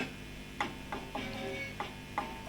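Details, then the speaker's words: VOX AC30 C2 amp, crackling worse once warm, giving sharp irregular crackles and pops over a quiet hum when power valves are barely touched; microphonic output valves crackling. "let's just try the power valves oh aha i'm liking that with a slightest touch on that and that and that"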